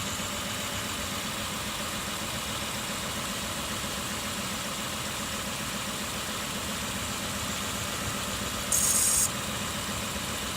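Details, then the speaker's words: 2003 Kia Sorento idling, code shows cylinder 1 misfire: steady idle with uneven, slightly stumbling beat about four times a second; spark escapes through leaky plug boot to the block instead of firing the plug. "If you see that the spark, see when that starts firing to the side, you see that the spark plug itself stops firing, and that's what caused the spark to escape through the boot to the block and not go through the spark and not fire in the inside the engine. That's why you have the misfire."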